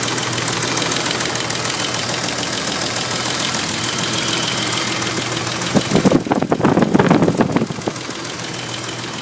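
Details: BMW M30B35 engine at idle with light, steady clatter; valve train tick from excessive rocker arm clearance on settled rockers, 0.30mm.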